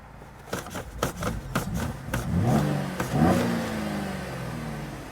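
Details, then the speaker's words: Cadillac SRX4 with the check engine light on and a large power loss. Uneven revving rises and sags, nearly dying, in open loop. EVAP purge reads 0% and the bank 2 sensor 1 O2 heater draws no current: engine surging. "Oh, the engine is surging right now. It's about to die. Jeez."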